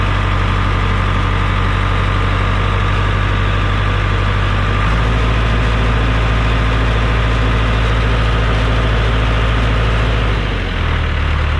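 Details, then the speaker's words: John Deere 455G crawler loader diesel revved up with the transmission put in second; revs barely dip, no pull-down, nothing but neutrals, so the engine runs but the machine will not drive; transmission fault suspected, not confirmed. "all right well that didn't work we must have adopted a 4l60e transmission or something from an ls package because we've got nothing but neutrals"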